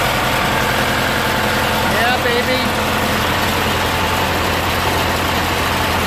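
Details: Murray 46-inch riding mower, Briggs & Stratton 16 HP opposed twin, after carburetor and fuel pump rebuild, fuel drained, new battery, cowling off; steady, even idle with a firm low thrum, no misses or hunting; normal idle.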